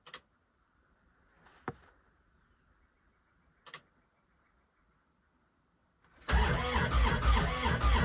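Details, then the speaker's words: Kubota RTV900 diesel at -8°F with summer fuel, Diesel 911 added: quiet clicks, then about two seconds of steady cranking near 3.5 turns a second with no firing. Owner suspects gelled fuel and worries about the battery. Won't start. "that was a lot more cranking than i like to do though nope that's it not gonna go and we're done"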